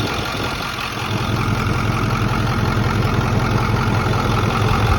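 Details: Ford F250 at idle, otherwise running fine: light, regular clicking like two spoons that comes and goes and grows louder partway through; source unknown.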